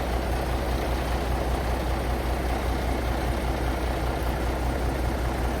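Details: Paystar diesel idling after the radiator rebuild with new gaskets; steady low even beat with faint air-compressor chatter as air builds to about 70 lb, running beautifully, no leaks; normal idle.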